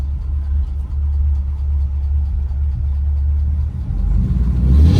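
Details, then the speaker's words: 1940 Ford Deluxe V8 with about 7,800 miles, Offenhauser heads, Pertronix electronic distributor, converted to 12 volts, running on one of two carbs: it fires right up and idles with a steady, even, unhurried low rumble and no knocks or misses. "Okay, let's start it up and see what we got. I think it should probably start right up."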